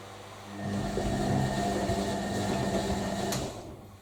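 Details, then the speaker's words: Newly acquired collector's washing machine on a hot wash, filled with hot water, 2.5 kW heater running toward 95 °C: motor spins up and turns the drum for about three seconds with a soft even hum, then stops; normal wash tumbling. "so we are heating to 95 degrees Celsius heat is roaring away to 2.5 kilowatt"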